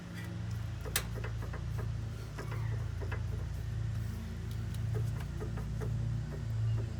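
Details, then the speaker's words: 2.5L turbo Volvo XC90 with suspension clunk on rough roads: sharp irregular clicks and light clunks as the loose lower passenger-side sway bar end link is rocked with the suspension hanging; replacing the link cured the noise. "so yeah this is the sway bar end link and this is what's making the noise"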